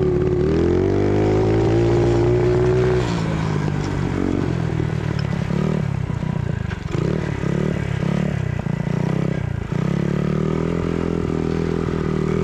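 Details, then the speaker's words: Vintage mini bike single under throttle on a ride, revs up, holds, then sags and surges unevenly; exhaust smells very hot, no black smoke, and they suspect the carburetor (maybe a 110 size) is too small, running lean. "i'm betting this carburetor is still too small for this engine it might be for 110 yep okay so it's on the lean side"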